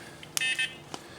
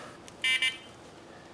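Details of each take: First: Quantum 4Front 1 power wheelchair being swapped to R-Net electronics, first power-on of the controller; a quick chirp, then a short high two-tone beep flagging a motor brake error, expected because the motors were not yet connected. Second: Quantum 4front 1 power wheelchair being converted to R-Net electronics with a seating module: after plugging the seating module into the joystick and powering back on, two quick high-pitched beeps at power-up as the controller runs another auto-detect; seating module then clicks.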